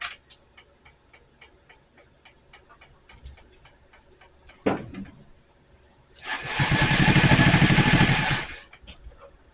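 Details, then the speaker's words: Metro (tagged Honda) being revived: slow ticking at first, then the engine catches and revs up smoothly for a couple of seconds before settling. It starts and runs fine. "So there's proof. I got her to go. I'm pretty tickled with that."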